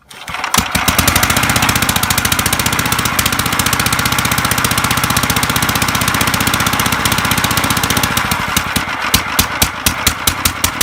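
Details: 1955 Gravely Model L single-cylinder engine, first start after cleaning corroded magneto points, running about half-choked. The exhaust ear is broken off at the threads, so every firing gives a loud, sharp, raspy, unsilenced bark: broken exhaust.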